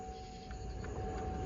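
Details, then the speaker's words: 2012 Buick Verano with no air from the vents, after replacing the failed blower part with a used one: quiet, even rush of air with a steady mid-pitched whir, no ticking or scraping; blower now working normally. "Oh yeah, you hear the air? All right, so it's blowing. The other one wasn't doing anything at all."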